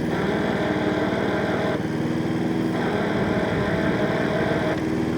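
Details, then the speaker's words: Hayter 48 PRO (479B) self-propelled mower at full throttle: drive engages, but with slight resistance it slips with a rough grinding graunch while the belts keep spinning; gearbox teeth suspected failing. "And that noise you can hear, I believe to be actually the gearbox. And that's all the teeth in the gearbox saying, I quit, I quit, I quit, I give up, I give up, I give up, I give up."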